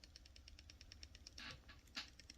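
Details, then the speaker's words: Giant Mouse Ace Grand folding knife, closed and shaken, gives a quick light metallic ticking rattle. This is detent lash: the detent ball has excess room because the detent hole in the blade is slightly too big. "that rattle is detent lash that means that the the detent ball uh has a little bit of excess space to move around in the hole"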